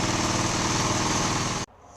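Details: 1979 Honda XL125S single-cylinder after its valve adjustment and a short backyard ride; the earlier weird, stumbly idle was blamed on a too-tight intake valve, now sorted. A steady, even beat runs cleanly until switched off. Normal running.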